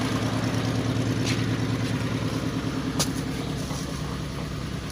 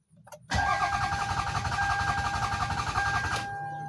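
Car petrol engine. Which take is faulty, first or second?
second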